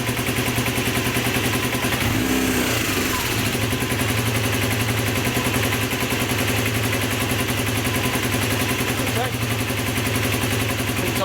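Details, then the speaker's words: Honda CB250N Superdream twin after carb balancing (equal readings): revs cleanly, settles to even idle with steady beat; more responsive, picks up better. "definitely feels more responsive definitely taking over better"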